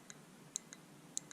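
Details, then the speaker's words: Known-good race car fuel injector bench-tested off the engine, triggered at its terminal and held close to the camera: crisp ticks in pairs about twice a second as it opens and shuts cleanly; the injector works. "the injector opening and shutting. I hope you guys can hear that. So I know that one works."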